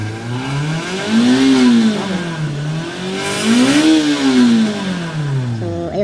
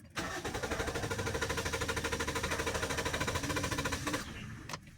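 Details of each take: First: Toyota Vios with a long-cranking and low-power complaint, revved while still cold after repair: the engine pulls up cleanly through two smooth rev blips and settles back each time without stumbling, with normal power. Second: Manual Toyota Vios with a long-crank complaint: it needs about three starts, worse when cold. Steady starter chugging for four seconds with no catch; a weak fuel pump is causing the long cranking.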